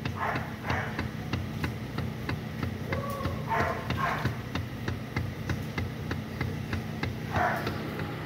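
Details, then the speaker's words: 2015 Toyota Vellfire/Alphard AGH30, car stationary with engine running, steering turned left and right; sharp regular clacking from the steering column, caused by a steering damper found completely disintegrated. "kali ini ada Alpad agh30 nih bunyi di area setir keletak letak saat posisi mobil diam setir dibelokin kanan kiri ini bunyinya"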